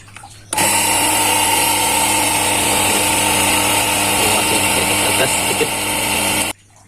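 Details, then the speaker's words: H&L QL 1900 jet cleaner pressure washer fitted with a new quick-release hose connector: motor runs with a steady buzzing drone and a constant high hiss of spraying water. The quick-release hose fitting leaks. "ya ternyata ada kebocoran ya teman-teman"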